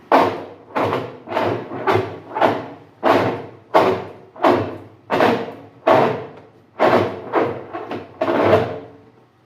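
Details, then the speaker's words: Consul CWC08 8 kg washer, empty, gives loud cracking clunks, about a dozen in ten seconds, as the agitator is forced against resistance by hand; it also does this when loaded with laundry, and the agitator is not stripped. "quando ela enfrenta um peso no meu agitador ele faz barulho mas eu consigo mostrar isso para vocês agora sem roupa dentro vou fazer um pouco de força ali vocês vão ver a quebradeira que se dá ali"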